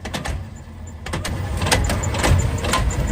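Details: Electric tricycle that only moves after a push; sharp irregular clunks about two a second over whirring drive, faster with speed; center gear pack leaking oil, suspected gear pack fault, not confirmed.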